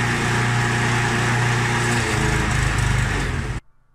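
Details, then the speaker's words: Mountfield SP536ES self-propelled mower, RM55 160cc engine, after service, new battery and drive belt: smooth, even high-pitched run with a fast regular beat before shutting off cleanly. Normal running. "she's running good that you can save her"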